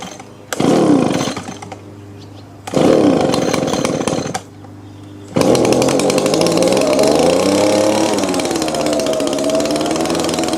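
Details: Old Echo two-stroke leaf blower: buzzes at a high, hunting speed and never drops to low idle, squeaks when stopping; adjusting the high and low air/fuel mix screws makes no difference.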